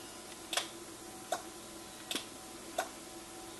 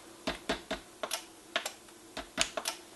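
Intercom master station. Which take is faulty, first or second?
first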